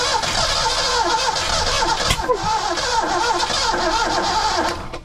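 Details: Rare 1982 McLaren Mustang that sat about 30 years: labored, uneven cranking near 220 beats a minute with hard hitches and no catch. Ignition timing is set too far advanced; valves were not stuck, and the engine won't run.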